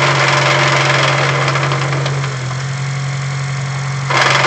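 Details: 2008 Honda Civic Si idling in neutral, clutch engaged: a loud, rough whirring growl from the gearbox that fades when the clutch is pressed; a bad input shaft bearing is suspected, exact bearing unconfirmed.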